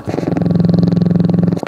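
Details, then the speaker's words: Diesel generator, near-cold start (slightly warm, about 70 degrees), fuel problem apparently solved: rapid even buzzing pulse of about twenty beats a second from the water pump before starting, then stops abruptly; pump running normally. "here probably you can hear the pump hear the water pump down here"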